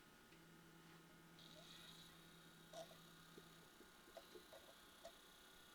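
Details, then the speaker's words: Pioneer DV-440 DVD player (2001) after fix, loosening an overtightened tiny mechanism screw that caused grinding: disc plays almost silently, only a faint low hum and soft mechanism clicks, no grinding. "And as you can see, it doesn't make any kind of sounds at all. It's just very silent."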